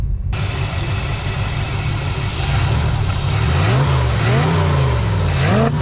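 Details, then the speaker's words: 1969 Lincoln Continental with Ford 460 V8 whose low-oil-pressure light flickers; owner suspects the sending unit. The engine idles, then revs up and settles with a smooth, even note and no ticking or clatter, so no audible oil-pressure or lifter problem. "yeah i would think if we had an oil pressure issue we would hear something"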